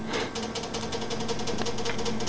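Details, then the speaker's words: RepRap 3D printer stepper motors, mainly the X and Y axes, powered but idle: irregular fast ticking and buzzing as they twitch single steps back and forth on their own. This has happened even with only the controllers plugged in; the cause is unknown. "you can see the step motor is making very small movements I think they're single steps back and forth I'm not sure what it is is"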